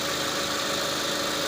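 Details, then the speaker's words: 2006 Mitsubishi Lancer, 4G18/4G15, intermittent hard start with no codes: smooth, steady idle with even hiss and no stumble or miss; the engine runs well with no sign of misfire. "so the vehicle runs pretty well not sound like it's a misfire or anything like that"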